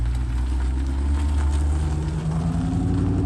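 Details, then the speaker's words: 1989 C4 Corvette TPI V8, cold start after fuel pump module replacement for long-start issues: deep, steady low rumble with no misses, knocks or hunting, settling into an even idle. Sounds much better than before. "okay for a cold cold start sounds much much better that's much much better"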